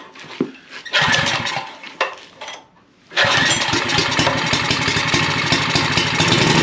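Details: Troy-Bilt 6.75 HP tiller, model 21A-644H063, started with starting fluid: a rough, busy engine with an uneven metallic knocking rattle from the rear. Cause: an overlong guard bolt striking a moving part.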